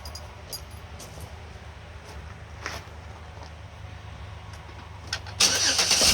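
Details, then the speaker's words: 2008 Pontiac Torrent with random dying, after ECU swap: engine catches and holds a low, even idle with no stumble or dropouts, loud burst covering the end; runs smooth, owner thinks the ECU was the problem. "there you go you can hear it running runs nice and smooth no problems with that so I think I think this was the [Music] problem"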